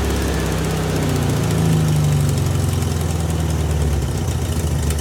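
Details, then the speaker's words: VW Beetle with new Pertronix distributor and coil, timing around 7.5 and believed right: low uneven chugging idle that lurches and wavers; owner suspects carburetor adjustment, unsure of basic settings; rough running. "I think it's a carburetor adjustment. And I don't know what the basic settings are."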